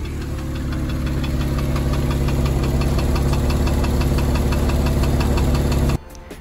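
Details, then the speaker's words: 2002 Porsche 996 Targa with the M96 flat-six, misfiring despite new coil packs. It runs rough and uneven, with a metallic knock about three times a second from the bottom of the engine. The owner feared D-chunking, bore scoring or a bent valve. "worst of all i was now getting a really unpleasant metallic knocking sound from the bottom of the engine when it was misfiring things have just got a lot worse can you hear that"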